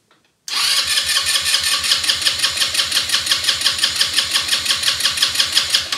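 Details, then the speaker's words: Elstar 150cc single-gear 2WD quad bike, long stored, spark plug cleaned: a steady, rapid starter whirr near three pulses a second never fires. Cranks but won't start; owner suspects no spark or a bad plug, later found to have plenty of spark. "but i'm not sure i have spark so i have to test that could be it's a bad plug it's clean now but it could be bad"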